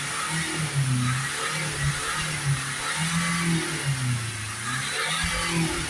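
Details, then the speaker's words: Renault Espace 2.0 dCi diesel with a badly blocked DPF (about 500 mbar at idle, 1999 mbar maxed near 3000 rpm). Right after cleaning fluid is injected, hard revs surge and drop about every second. The engine struggles to rev and stutters while clearing, with smoke. "Try and give it some hard revs just to get it cleared out. You can hear there the vehicle is struggling to rev up, it's sort of stuttering."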